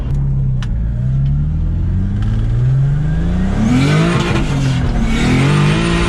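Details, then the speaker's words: Turbo 3.0L M52 BMW E30 on dyno, electronic boost controller duty cycle raised 10% after making only 10 psi: engine pulls hard and climbs, then sharp exhaust crack on throttle lift-off; air-fuel was perfect until letting off, then it popped. "Whoa! What was that pop? That scared the shit shit out of me. So air fuel was perfect until I let off the gas and then it popped."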